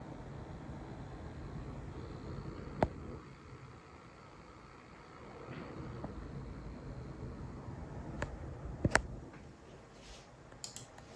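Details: PC with a new Nvidia 5080 and a Focusrite Scarlett 2i2 under gaming load, playing through Yamaha monitors: a rough buzzing hiss with sharp crackling pops. It persists with another audio interface and is absent on headphones; coil whine suspected.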